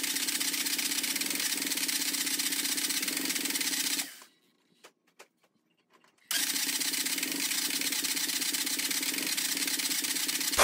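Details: MG ZR with a long-standing starting problem (sensors changed, timing checked OK, no ECU light or codes) runs raggedly, cuts out to near silence for two seconds, then catches unevenly; hard starting and rough running, cause unknown, spark and fuel to be checked.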